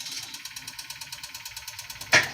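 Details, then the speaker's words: 2015 Kia Soul 1.6L Gamma GDI four-cylinder at 124,000 miles, running with the check engine light on: fast, even tapping at idle, about ten a second, from the bottom end of the engine, a worn connecting rod bearing knocking. "Tapping his ass off. Yeah, that's what we got going on. It's running and it's tapping."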